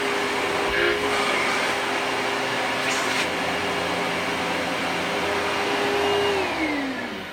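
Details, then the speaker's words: Simplicity 6570 upright vacuum, Tacony-made design, secondhand and long-lasting, running: smooth steady motor whine with even airflow rush, no rattles or bearing grind; a pleasant-sounding healthy motor, though perhaps less powerful. "so this is a much more pleasant sounding motor so this is a better vacuum even though it might not be as powerful"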